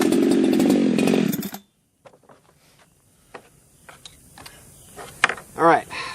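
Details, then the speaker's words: Ported chainsaw at full throttle, air filter off, on a cool, humid day, with the tach reading about 11,000 rpm. It screams with a slightly blubbery, uneven edge to the note. The carburetor's high-speed mixture is rich; the plan is to lean it about half a turn. "I mean, that sounded rich to me, and it was rich."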